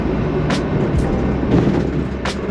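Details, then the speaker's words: VW bus with narrowed front beam, driving on rough roads after the repair for a metallic front-suspension noise caused by the shock hitting the edge of the beam: only road rumble and tyre noise, no metallic bangs; the noise is gone. "noise is gone there was that shock hitting up against the edge of the beam glad the noise is gone"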